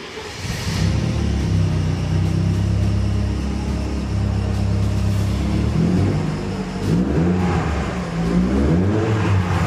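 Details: Mercedes W210 with a 211 engine, after replacing the burnt head gasket and welding and grinding corroded spots on the head: steady, even low rumble with a light rise in revs near the end; runs smoothly, no knock or misfire.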